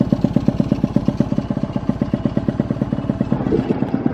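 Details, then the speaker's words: Alfa engine in touring spec on a standard carburetor, block hot and smoking: lumpy, uneven low-speed thumping with stumbles. The carb runs too rich at the bottom and too lean at the top and still needs setting. "setting karbu aja jadi atasnya kurang basah bawahnya ini terlalu basah"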